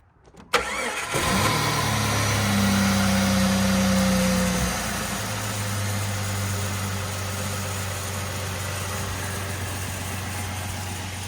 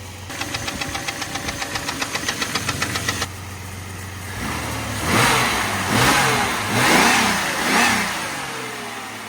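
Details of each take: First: Rebuilt Jeep engine with flat tappets on Rotella T4 15W-40 plus Lucas break-in additive, after break-in, coolant still low and a hose leaking: cranks and catches quickly, brief rev, smooth even idle; earlier knock gone. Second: Jeep engine before its overhaul, with flat tappets: rapid, even knocking at about six or seven a second over the idle, blurring as revs rise; a bottom-end knock, gone after the rebuild.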